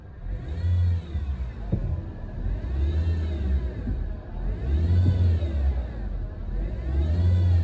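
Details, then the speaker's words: 2019 Honda Civic, about 100,000 km, engine started and revved: revs rise and fall with a whirring, chirping note climbing with rpm; worn auto belt tensioner and idler pulley bearing. "ये आपने देख लिया है, जैसे ही गाड़ी को स्टार्ट करके गाड़ी के आर्किंग थोड़े तेज करते हैं तो इसमें से अजीब सी आवाज़ आना स्टार्ट हो जाती है।"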